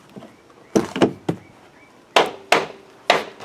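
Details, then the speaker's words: Chevrolet Cruze door catch clicking: as the door swings, sharp plastic clicks come in small clusters, a click-click-click from excess space behind the door catch letting it rattle. "yeah that's the sound right there so let's get down here and let's take a look"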